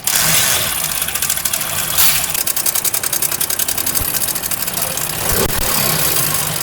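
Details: Honda CD70 motorcycle engine before timing chain replacement: loud, fast metallic clatter over the idle from the top of the engine, not a deep knock. A very slack timing chain is rattling; replacing it quieted the engine.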